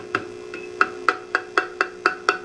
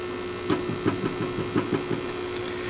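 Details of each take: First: Old weak GE 12AX7 preamp tube, triode 2, on a microphonic tester: each tap brings a short ringing ping over steady hum; mildly microphonic, less than triode A. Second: Light taps on a good new-old-stock EF86 preamp tube in a microphonic analyzer via octal adapter give only short dull clicks over a steady low hum, no ringing: non-microphonic, unlike a worn old tube.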